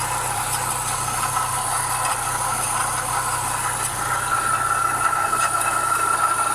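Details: Renault Clio 172 idling and running with a rough metallic grinding and scraping from the timing belt area: metallic grinding noise.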